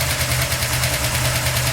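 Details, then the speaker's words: Solid-lifter Chevy 350 at steady idle after some carburetor adjustment, more responsive but still needing tuning: quick, even, fairly loud top-end valve ticking. The valves were earlier adjusted wrongly as hydraulic and are now lashed as solids. Normal solid-lifter valvetrain noise. "but listen to that Valve pretty annoying I never weigh in a solid liter motor before"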